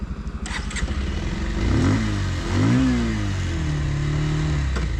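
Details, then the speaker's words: 2026 Bajaj Pulsar 150 Twin Disc, new bike, E20-capable single-cylinder: pulls away in first gear with a rising engine note and faint humming first-gear noise, also heard on the standard variant; cause unclear. "First gear sound చేస్తుంది అనమాట. Standard variant కూడా ఈ sound విన్నాను నేను."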